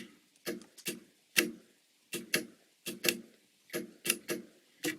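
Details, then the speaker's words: Relay board for an ambulance-to-RV conversion, switches in the down position: crisp clean clicks about once a second in a quiet room; relays and fuses work normally, though the LEDs are wired with reversed polarity. "the relays work the fuses work i got those leds reverse polarity reverse directions"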